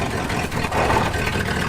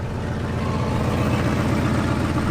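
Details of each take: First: 1974 Ford F-250 Highboy that was running lean, after reinstalling the EGR plate and valve and plugging the PCV port: even, steady cold-start idle with no choke manipulation; normal cold idle. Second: 1974 Ford F-250 Highboy petrol V8 running lean: idles steadily with brake pedal held; foot off the brake it hisses. Idle steadies with brake pressed, pointing to a brake booster vacuum leak.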